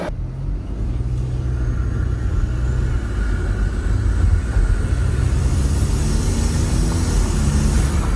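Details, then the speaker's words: 2015 Audi B8.5 A4 allroad/Avant with a newly installed CTS intake, casual driving: deep engine rumble with a faint whistle and a rising airy rush on throttle, like a supercharger or airplane; normal turbo spool. "right, so the intake is now on. It actually sounds like a like a procharger almost. Doesn't sound like a how I would think a traditional turbo would sound. Sound like an actual airplane."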